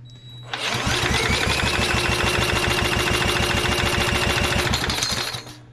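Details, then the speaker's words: Vintage inherited lawn mower, first start attempt after sitting: steady, even chuffing for about five seconds, spits and sputters but never catches; owner suspects no spark or choke not fully on. "no dice maybe we don't have spork we don't have Chuck turned all the way up it's good she was trying I heard you spit sputter"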